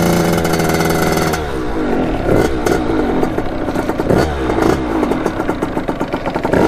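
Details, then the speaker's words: Kawasaki KX80 two-stroke with KX100 99cc big-bore cylinder, warming up after new head gasket and fixed-up head cured coolant leak; crisp idle settling into an even popping rhythm with light blips, clean and steady; owner says it runs really crispy. "it's running like really crispy man it sounds really good I'm happy with"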